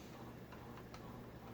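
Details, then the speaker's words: Phil Frey custom copper grape leaf antique 2-speed ceiling fan on high speed; faint irregular light ticks over steady low motor hum; likely the bearings, a little dry, oil grooves to bearings seem clogged, runs smoothly otherwise. "I believe that's the bearings that you're hearing there, because they're a little dry."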